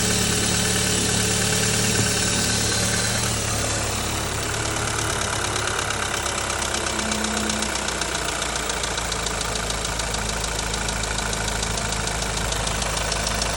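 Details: 2.0 TSI engine at idle: steady idle with a rough, uneven ticking about three per second over the engine hum; abnormal engine noise at idle, cause unclear.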